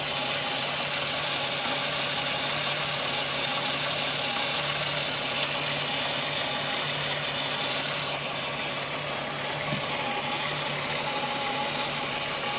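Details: Rattle at idle on a Golf VR6 2.9 with 103,000 km: a constant fine, hissy rattle over a steady idle. Owner heard a chain-like rubbing noise for a while, replaced the upper hydraulic tensioner screw, and the noise increased. Chain area suspected, unconfirmed.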